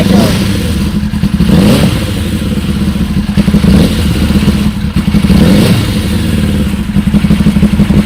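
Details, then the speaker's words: Suzuki GSX 600 project bike first run after fitting new switch: loud, lumpy revving with clattering, uneven firing and dips; smoking, thought from WD-40 on loosened manifolds; a cylinder apparently not firing, cause not confirmed. "so she van gock she sounds brutal she was smoking a bit but I think that's because of the wd-40 from the manifolds"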